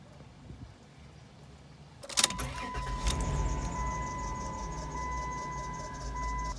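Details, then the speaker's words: Late-90s/early-2000s Dodge Caravan 3.3/3.6 L with a new, uncracked belt: engine cranks and starts, then a steady high squeal at idle from a misaligned idler pulley. "Okay, so the culprit in this issue, whether it's your belt slipping off or the squealing sound when your belt looks fine, and this belt, look at that. This belt looks good."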